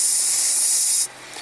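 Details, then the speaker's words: 2018 Honda Accord Turbo, 50k miles, weak A/C in summer heat: steady airy hiss behind the dash at the expansion valve, refrigerant turning to gas before the valve, classic low refrigerant charge from a leak. "That is a classic sign of low refrigerant. So instead of liquid refrigerant on the high side coming through the expansion valve, it's turning to gas before it even gets there, and that's why you hear the hissing. So classic low charge scenario."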